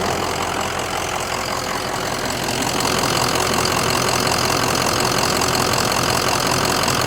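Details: 2004 Ford Excursion 6.0L Powerstroke diesel with 202k miles and a recent EGR valve and oil cooler, ICP at 585: smooth, even idle with normal injector clatter and no irregular knock or miss; healthy idle.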